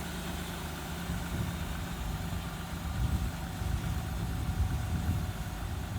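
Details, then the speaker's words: 2000 Ford Ranger XLT revived after long sitting, with brakes restored: steady, even low idle rumble with no knocks, misses or squeals. The engine is idling smoothly and sounds healthy. "Well, we do seem to have brakes now, finally. The truck is running good."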